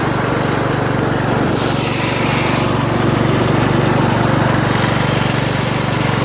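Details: Craftsman LT1000 lawn tractor after new drive belt install (owner unsure it's the right belt), first test drive around the block: steady even single-cylinder drone with constant beat, a little noisy, no knocks or misses; running normally.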